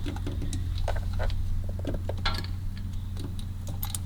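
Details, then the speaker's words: Carburettor automatic choke: light uneven clicks about three a second as the linkage steps down the fast idle cam; normal operation. "You're coming up on the idle cam. Fast idle cam. You hear it click. Hear it clicking?"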